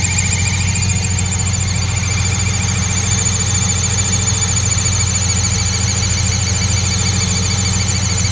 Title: whining noise coming from engine